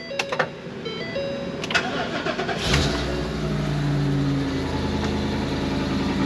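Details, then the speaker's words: 2023 Thor Quantum KW29 motorhome, Ford E-450 7.3L V8 "Godzilla", after fixing underfloor heat-shield/bracket rattle: starter clicks, fires, very loud fast idle at start that settles down; a normal quirk of this engine. "This motor's got a quirk to it. When you fire it up, it gets very loud, and after a moment the noise settles down."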